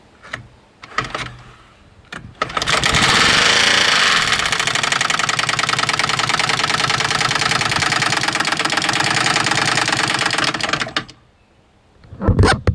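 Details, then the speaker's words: Used small carbureted engine for a boat camper, test-run on a new fuel line with choke: runs rough for several seconds with uneven rapid knocking, about three a second, over a harsh buzz; owner suspects rod knock in the lower end. "Sounds like a rod knock to me. I do not believe it's supposed to sound like that at all."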